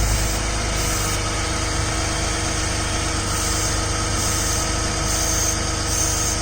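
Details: Ford/Lincoln at idle with a loose, uneven puffing tick over the exhaust note, louder when cold, exhaust smell in cabin; owner reports an exhaust leak, dealer found no problem, calling it a normal condensate drain.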